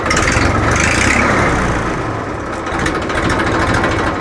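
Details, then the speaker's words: 2013 Massey Ferguson 1035 DI diesel tractor idling: loud, harsh, rattly exhaust note that doesn't sound right; the worn silencer no longer quiets it; the planned fix is fitting a new thicker-model silencer. "तो इसमें बहुत ही तेज आवाज आई है और आवाज भी सही नहीं है"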